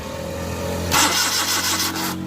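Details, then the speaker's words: Suzuki Mehran VX/VXR Euro 2 petrol with no-start, fuel pipe disconnected, ignition on and brief crank: starter turns the engine about a second without firing and no petrol comes out; crank no start from failed fuel pump. "ये देखें ये इसमें पेट्रोल नहीं आ रहा, बस ये देखिए इसमें पेट्रोल नहीं आया स्लो मारने से और स्विच ऑन करने से। इसका मतलब है इसके फ्यूल पंप में प्रॉब्लम है।"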